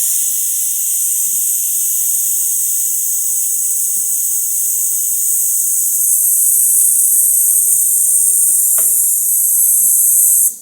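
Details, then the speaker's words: Bentley Continental GT AC circuit pressure-tested with air through a filling plug, engine hot: a steady sharp hiss for about ten seconds then stops as pressure drops quickly; a massive leak, apparently from the pump side. "Look how quickly the pressure drops. So, there's a massive leak in there."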